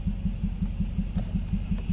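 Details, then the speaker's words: Car idling rough, running on only three of four cylinders with a cylinder 4 misfire; lumpy uneven chugging idle with one cylinder dropping out, run so an OBD II scanner can pick up the misfire. "so you can hear it running and it runs pretty rough it's only running on three of the four cylinders"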